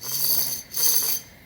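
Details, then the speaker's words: Chevrolet Trailblazer/GMC Envoy removed wheel hub spun by hand: gritty, ringing musical rasp in two strokes from rusty rough bearing; hub needs replacing. "but listen to this it's not supposed to sound like that it sounds like it's trying to make a musical"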